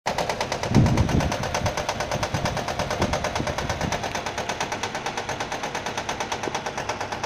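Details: Nissan at idle with quick rhythmic slapping about three a second; engine itself found fault-free, noise came from a fraying alternator belt striking the metal body as it turns.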